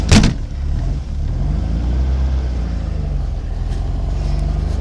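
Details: 1969 VW Baja air-cooled engine after a 3,500-mile trip, started in chilly weather after sitting a week or more: a low, even burble settling into a steady idle with no knocks or stumbles, sounding healthy. The owner notes a fuel pump noise and an oil gauge reading low.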